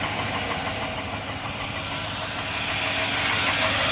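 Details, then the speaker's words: 2001 Silverado with the 4.8 V8, cold start: a steady, hollow knock about three times a second that fades after about a minute as the engine warms. Owner suspects piston slap and considers the motor still good. "then after it gets a little warm I guess the piston rings expand and it goes away"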